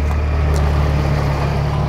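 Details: Jeep Cherokee 4.0 inline six, at the exhaust with muffler fitted, after Mystery Motor Oil treatment for cylinder 6 miss (owner suspects sticking lifter): deep, smooth, even idle burble without misses or puffs; running cleanly.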